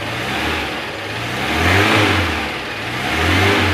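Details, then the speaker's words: 1994 Suzuki Carry 1.0 pickup, still cold, revved: engine swells and drops back twice with a smooth even note, no knock or rattle, no white exhaust smoke; piston rings judged fine; healthy revving. "jadi mesinnya memang masih cukup oke istilahnya kita starter suaranya masih halus kita geber pun nggak ada suara yang aneh"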